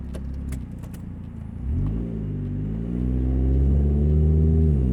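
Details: 2000 Nissan Altima, an old car owned since 2010, while driving. A deep, loud rumble that swells as the engine revs, far too throaty for a small car, from an exhaust leak, before repair.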